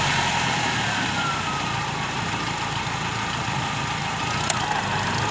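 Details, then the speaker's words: Car AC belt that squealed because it was installed too loose; after the fix the AC clutch is engaged and revved. Steady, even idle with no belt slip, squeal or chirp even when revving: normal AC belt operation. "التكييف اشتغل، زود بنزين، والسير مش بيتزحلق ولا بينتج اي صوت حتى لو زودنا بنزين."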